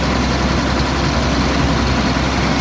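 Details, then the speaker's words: 2004 Blue Bird All American 72-passenger school bus, automatic, running about an hour without overheating: steady deep drone at an even, elevated speed with no dips; idle drops to normal once the brake is touched; high idle. "the motor sounds like it's on a fast idle"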